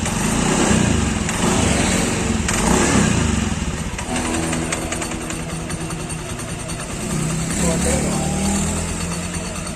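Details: Honda Beat scooter, small single-cylinder, after fixing a stiff kick starter: steady buzzing beat with easy revving, nothing rough; running normally.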